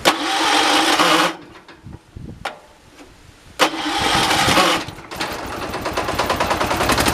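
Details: 1986 John Deere 216 16 hp single-cylinder tractor started outside during carburetor adjustment: catches, runs briefly, dies, then refires and runs unevenly; engine surging and cutting out, owner thinks carb is adjustable; heavy shaking said normal for these engines.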